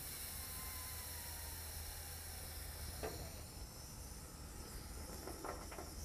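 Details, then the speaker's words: Cat hydraulic excavator, hydraulic tank cap cracked before changing the return filter: steady, even hiss of air escaping as tank pressure bleeds off; normal pressure release. "now listen when you open this up you hear that hissing we want to let that pressure out of there out of the tank"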